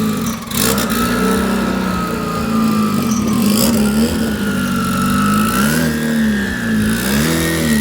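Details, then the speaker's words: Volvo 244 GTK turbo engine on a basic tune, running again before the dyno: strong even note rising and falling with throttle, clear Turbosmart turbo whistle, no knocks or misses; healthy. "And on top of that, it sounds incredible. I mean, just listen to this Turbo Smart Turbo sing."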